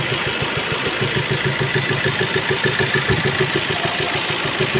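Diesel idling with a fast, fairly even light ticking, around three per second, over the clatter; points to a broken rocker arm.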